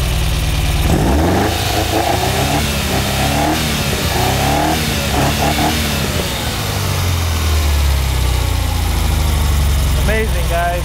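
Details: 1978 Ferrari 308 GTB V8 with carburetors, running again after engine sorting and distributor removal, before final carburetor synchronization. Clean, crisp revs rise and fall smoothly with an even, full exhaust note and no misfire. Healthy V8 revving.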